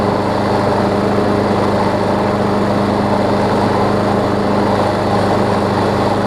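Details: Craftsman push mower that ran too fast and vibrated, run with blade not yet fitted, right front wheel replaced and wheels tightened: smooth, even running with a steady hum, no surging or shaking. Normal running.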